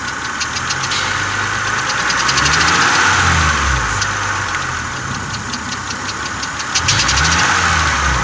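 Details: 2000 Honda Accord V6 idling with a fast light tick that keeps pace with engine speed; owner suspects an exhaust leak from a vacuum hose or a spark plug leak after plugs were replaced two weeks earlier for a misfire.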